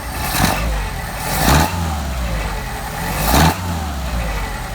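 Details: Mercedes 190SL with rebuilt Solex carburettors, idling about 750 rpm after linkage adjustment: three quick throttle blips rise and fall cleanly with no pops or backfire; crisp, normal throttle response.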